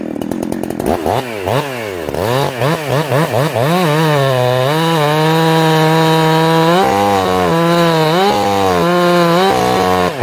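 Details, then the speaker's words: Ported two-stroke chainsaw after carburetor tuning: quick revs, then a clean steady high scream that cleans up and pulls hard under load in the cut, four-stroking again when lifted out; properly tuned. "you actually get it some load on it it cleans up and pulls hard the minute i pull it up it starts four stroking again"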